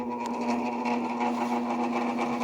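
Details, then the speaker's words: Fedders 5,000 BTU window AC, model A1Q05F2C, likely early 2000s, stored long in a barn, tested on low fan. A steady buzzing hum with a gritty edge: the fan motor bearings are stiff and bad, worn and needing oil. "Oh my gosh. That's definitely got bad bearings. Oh yeah. That's definitely got bad bearings. Those bearings are really stiff."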